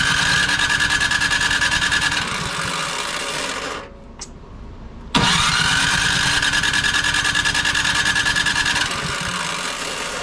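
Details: Craftsman snow blower with Powermore engine and Huayi carburetor, sat for a couple of years, primed and cranked: starter spins with a rising whine and steady chugging about three beats a second but never fires; no-start traced to a clogged carburetor.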